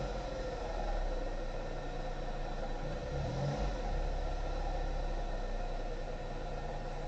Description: Шумит подшипник генератора. Предвещает скорый клин.